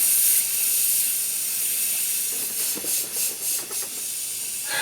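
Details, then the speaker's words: 1994 Saab 9000 AC system with a new condenser, under a nitrogen pressure test. A loud, steady high-pitched hiss of escaping gas with fluttering pulses near the end, a leak at a fitting. The owner suspects a blown O-ring. "it sounds like one of the o-rings blew out"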